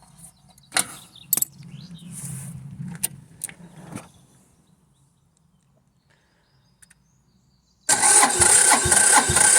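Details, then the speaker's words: Diesel machine reported for lack of power, diagnosed on site: after bleeding fuel at the pump inlet with the decompression lever pulled, it cranks, catches, runs a few seconds, then dies from fuel starvation. The fix was turning the fuel tap back on. "pumped all the fuel through let go and it started and then it stopped um and then remember that to turn the fuel tap back on"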